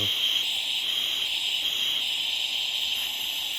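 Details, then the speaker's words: 1959 Rolls-Royce Silver Cloud II right-hand-drive steering box, reassembled and air-tested: a steady airy hiss through the control valve, with more flow from the bottom ram port than the top at neutral. The valve is leaking and unbalanced at centre, though actuation works. "But the neutral position definitely has more flow from the bottom ram than it does from the top, even though there is still some there."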